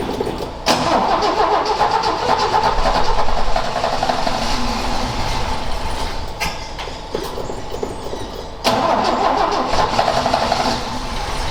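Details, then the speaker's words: Ford XA Falcon, parked outside for a long time and not run, attempted restart with a hot coil and a poor distributor cap; engine catches and runs rough, sagging and chopping, then picks up as it starves of fuel with the float bowl empty: stalling from fuel starvation. "I might have to Chang it out and see if that's in better but the flood B was empty"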